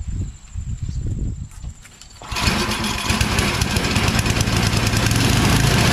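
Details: Yard Machines MTD 24" 824 two-stage snow blower with an 8HP Tecumseh Snow King engine, after the carburetor and fuel line were replaced and the oil changed, started on full choke and full throttle. After handling noise it settles into a steady, even chug about three beats a second; runs healthy.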